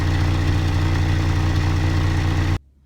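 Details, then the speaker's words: First-generation Honda Fit idling in the driveway during an ignition coil swap test: uneven, sputtering exhaust beat, a misfire. It is not cylinder one; weak, aging coils are suspected but the faulty coil is not yet isolated. "go ahead and start the car so I can already hear the motor misfiring so I know it's not cylinder one now I'm not sure how well you can hear it in the exhaust stream but you can hear it sputtering while it's idling in the driveway"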